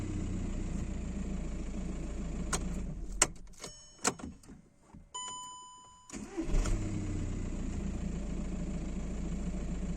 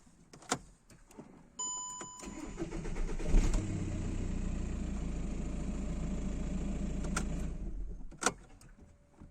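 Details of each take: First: 2009 VW Jetta 1.9 TDI (BXE) after replacing camshaft position sensor with OEM part (Delphi unit kept P0341): brief crank, catches at once, steady diesel idle; hard start and P0341 cured; normal quick start. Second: 2009 VW Jetta 1.9 TDI BXE diesel: starter churns a couple of seconds before reluctant catch and idle; P0341 cam position sensor G40, Delphi replacement (940 kohm) kept fault, OEM sensor (469 kohm) fixed hard start.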